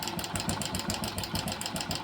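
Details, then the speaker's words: Hero Passion Pro single-cylinder at idle, about 15–20 days to a month after a new timing chain was fitted: light, fast metallic rattle on each firing pulse; owner suspects the chain tensioner (adjuster) has failed, leaving the chain slack. "और timing चैन डाली थी तो उसके बाद अभ इसमें sound आ रहा है अलग से तो दोस्तों देखते हैं क्या प्रॉब्लम हो सकती है"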